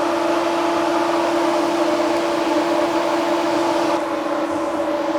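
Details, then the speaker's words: Plymouth Road Runner that ran hot, new ColdCase radiator, fan and shroud replacing pusher fan, tested by grounding thermo switch before adding coolant: steady whooshing air rush with constant hum, pulling paper towel to core; electric cooling fan working, airflow correct direction. "So we know we have a fan that works, and it moves a lot of air, and it moves it in the right direction"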